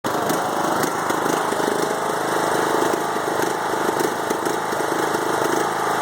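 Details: 5-year-old Craftsman mower with Briggs & Stratton Intek 20HP twin, head gasket replaced after hydrolock; smoking stopped but idle now lumpy and irregular, bogs while mowing until blades disengaged; rough idle, cause unknown.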